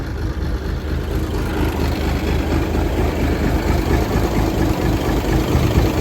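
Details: 1978 International Transtar II cabover diesel, first start after sitting 3 years during restoration: steady, even idle clatter about two beats a second, no misses; runs well, a leaking heater core line noted afterward.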